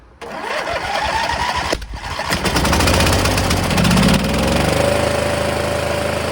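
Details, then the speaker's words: MTD Gold garden tractor, 26 hp Briggs & Stratton, choke on. It starts easily once the fuel shutoff solenoid is hooked up and the proper 20 A fuse fitted, then settles into a smooth, even idle on both cylinders. Ignition coil not the fault; previous owner suspected lost spark; bad wiring. "I can't believe it started that easily. It's clearly running on both cylinders."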